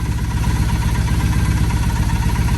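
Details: 2007 Triumph Bonneville T100 twin during carburetor synchronization with a sync tool, nearly dialed in: even, regular low thumping idle with steady pulse, no hunting or stumble, balanced and smooth.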